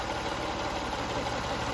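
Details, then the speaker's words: 2004 Lexus RX 330, 166,000 miles, after replacing mass airflow sensor, two hoses and gasket to clear codes P1074, P1071, P2198, P2196: smooth even idle, soft steady hum, no ticks, misses or surging; running cleanly. "I mean, for 166,000 miles, the engine is really, really smooth."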